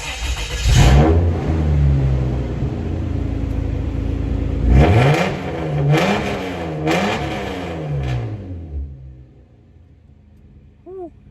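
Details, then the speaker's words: Toyota Land Cruiser with catalytic converters removed and an aftermarket muffler: loud, raspy exhaust bark on startup and blips, deep drone at idle; far too loud, to be fixed with a new stock-size 2.25-inch catalytic converter and muffler. "so let me just start this thing so you can hear how stupidly loud it is"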